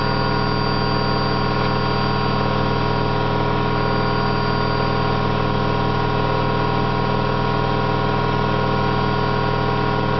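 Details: Candy GO4 127 DF washing machine on high-speed spin: a steady loud drone and humming whirr pulsing about three times a second from worn drum bearings, described as not that bad, just loud.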